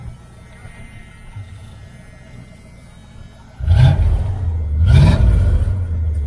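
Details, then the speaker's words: 1978 Dodge Aspen R/T V8 with a newly installed exhaust system: quiet for a few seconds, then two sharp throttle blips on a deep, even burble that settles cleanly; normal exhaust note when revving. "Sounds really good. It actually sounds just like my Chevelle."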